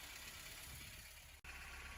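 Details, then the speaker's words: 1989 MK4 Ford Escort idling after first start in almost a year; dry whirring rattle over a steady idle from the clutch release bearing, on its way out; clutch kit to be fitted; worn clutch release bearing. "as you can hear here the release bearing is uh definitely on its way out doesn't sound great at all so i'm going to get a clutch kit"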